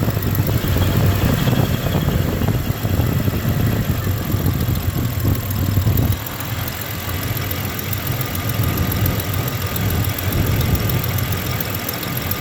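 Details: 1993 Ford Ranger 3.0 V6 at idle: a low, lumpy idle with an uneven beat and occasional stumbles while the misfiring cylinder is traced. The owner suspects cylinder 3 or a front cylinder, and compression does not seem low; unconfirmed.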